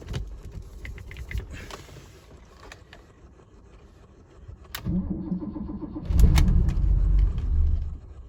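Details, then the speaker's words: Barn-find BMW 635 CSI, cuts out after starting, low battery voltage: quiet lead-in, then engine catches with rough low rumble, surges briefly and dies within seconds; fuel pressure problem suspected, not confirmed. "okay so it starts and stops it could be a fuel pressure problem"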